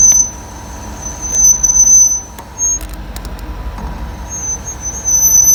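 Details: Car on a lift after front and rear pads were removed and sanded, which cured the front noise: a high, thin squeal comes and goes as the right rear wheel turns; right rear brake squeal, cause not found.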